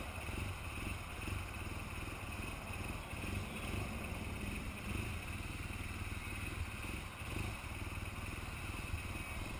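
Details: BMW R1200GS Adventure twin with an uneven, lumpy idle and irregular stumbles; an hour later the engine still won't turn over properly, and the cause is not evident; rough idle.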